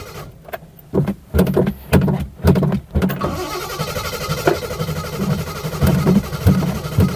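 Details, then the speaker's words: 1972 Triumph 2000 Mk2 2.0L inline-six, a barn find unused for over 20 years, cranking on choke: strong, even starter churning in bursts with no firing. Owner suspects the carbs are empty of fuel; it later started with brake cleaner. "I think the carbs is well empty. Okay. I don't wanna ruin it. So hopefully there's enough petrol in there."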